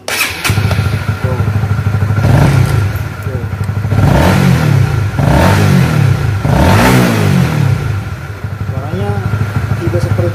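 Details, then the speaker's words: Honda CBR150R facelift after air filter change with airbox cover seated correctly: crisp single-cylinder revs rising and falling cleanly, earlier rattle and rumble from the leaking cover gone; normal engine revving. "Oke. Suaranya berbeda dari sebelumnya. Saat dipasang seperti ini."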